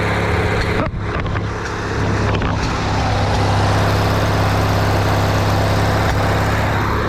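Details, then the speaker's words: Riding mower with a paint-can lid welded over its backfire-blown muffler, started with the safety unhooked: fairly steady run with uneven puttering and occasional exhaust pops; the patch still pops, though much quieter than before. "Making the oil can noise, pop, pop, and watch it pop out. Oh well, it's a lot quieter than what it was."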